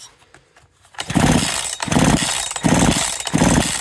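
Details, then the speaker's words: Husqvarna 372XP big-bore chainsaw with 272XP pop-up piston trick, rebuilt with thicker head gasket after the piston hit the head; squish slightly loosened. Saw revs in bursts with a clean rasp, the metallic piston tap now gone. "that metallic tap as the Piston come up comes up as gone"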